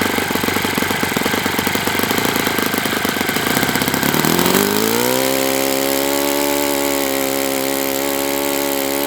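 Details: Enya 46-4C model four-stroke with air bleed carb on the bench, first run at 74°F in humid weather; uneven popping as it fires up, then a steady high drone still sounding a touch rich and soft; cause suspected.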